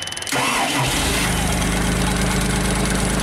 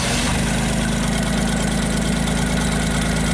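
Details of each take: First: JLG 260MRT scissor lift, carbureted engine with electric fuel pump, starter recently replaced: short starter whir, engine fires and settles into an even idle but stalls after a few seconds; starts then stalls, spark loss or fuel pump suspected. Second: JLG 260MRT scissor lift, carbureted engine, previously starting then stalling, running with scope leads on crank sensor and ignition coil control: low even idle holds steady with no stumbling or cutting out; normal idle.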